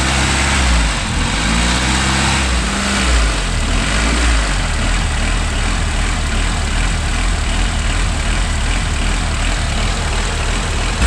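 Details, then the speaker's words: 1992 Honda Accord after timing belt and water pump replacement: idle pitch wavers up and down then holds uneasily; hunting idle suspected to be from a dirty idle air control valve, later removed and cleaned with carb cleaner. "starts doing funny so maybe it is that stupid thing all right I took off The Idler control valve blasted out with carb cleaner"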